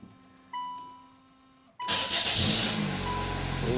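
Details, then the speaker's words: Nissan Sentra after head gasket job, first startup with water pump and alternator not connected: tones give way to the engine catching quickly and settling into a smooth, quiet, even idle without misses or knocks. "look at that very first time it sounds really good too super [Music] smooth nice and quiet"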